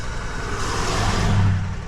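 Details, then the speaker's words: New GMC Acadia stranded roadside, fuel pump module failure presumed: engine spins over steadily with an even low drone but never catches; crank no-start, cause suspected not confirmed. "I don't if you can hear it hear how it spins and Spins and Spins and"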